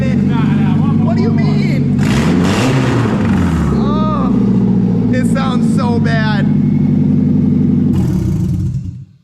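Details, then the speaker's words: Nissan S14 240SX with SR20 on its first start, open exhaust: loud, raw idle with a steady, even beat and no misses or knocks; runs and idles clean on first crank, no fuel issues. "it runs pretty good though what it idles good it runs good dude like first crank like no issues with fuel"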